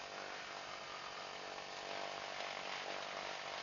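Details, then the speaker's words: Britten-Norman Islander BN2 Lycoming twin, engine run-up feather check: steady loud engine and prop roar dips briefly then recovers as each prop feathers and unfeathers, RPM drop kept under 500; normal propeller feathering. "So what happened there is we can hear the feather happening, we can hear the prop feathering, and we can see the RPM drop."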